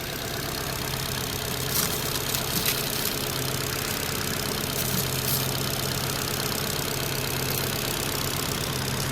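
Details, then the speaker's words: 2009 Ford Fiesta Zetec 1.2 petrol, about 45–47k miles, rear-end-damaged auction car: small four-cylinder ticking over at steady, even idle with no knocking or rattles; normal idle, though exhaust may be blowing slightly, possibly back box. "She's running over, ticking over quite nicely."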